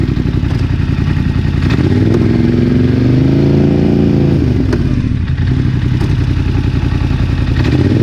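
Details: Polaris Sportsman ATV, 29 hours, clunk started right after first dealer service; camera repositioned, shifting low forward/reverse repeatedly: idling engine with a few dull driveline clunks on engagement; cause undiagnosed.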